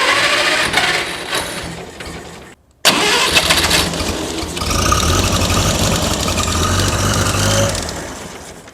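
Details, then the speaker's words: International Harvester 184 tractor (C60 engine) that had been sitting, cranked with the carburetor linkages off: it catches but runs ragged with a brief cut-out and keeps dying at idle, now firing on all cylinders; fuel mixture suspected, with gas flowing from the carburetor throat. "that's all i'm going to run it but i can tell that it's firing on all cylinders now but there's just an issue because when you just let it sit in there it just keeps dying and dying and dying"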